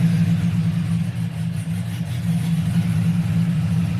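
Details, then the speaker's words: 1999-06 Chevrolet Silverado/GMC Sierra V8 after head gaskets, BTR Stage II truck cam, LS7 lifters, headers, single-in single-out Flowmaster, with finished tune, no check engine light: deep steady rhythmic lope, no misfire or knock; normal cammed idle. "no check engine lights steady i don't know if you guys can hear it but we lopping we are loping"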